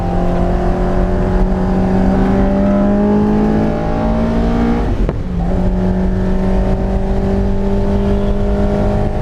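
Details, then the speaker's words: Freshly tuned Honda S2000 on track at high rpm under throttle: steady scream that abruptly stumbles and drops out before picking up, a random misfire still present after swapping the crank angle sensor. "well guys the problem is back I thought I fixed it when nope it's still there"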